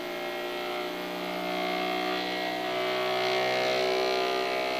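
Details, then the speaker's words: Creality Ender 3 V3 Plus 3D printer on first power-up auto-test: input shaper vibration test, a buzzing tone that climbs crescendo in frequency over a few seconds then cuts off; normal resonance calibration sweep. "Comme pour les précédentes machines, un test de vibration dont le bruit est assez particulier puisque ça monte crescendo en faisant monter la fréquence."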